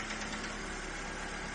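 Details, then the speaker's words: Ford Fiesta first start after oil change, oil level mid-dipstick: light fast tapping over quiet idle just after start-up, lifters clattering briefly until fresh oil circulates to the top end. "You need to stop. Yeah. That's the oil going around."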